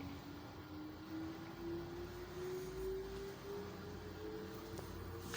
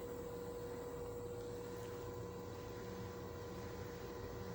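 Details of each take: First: LG automatic washing machine with side packing fitted, on spin as rpm builds; the spin tone climbs as the drum speeds up, with a heavy low rumble building, noise increasing and the machine shaking and walking on the floor. Excessive spin vibration. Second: LG automatic washing machine after the vibration fix, with about 4x4-inch mats under it and side packing kept; at full spin rpm a steady even hum, constant tone, no thumping or wobble. Smooth, balanced normal spin.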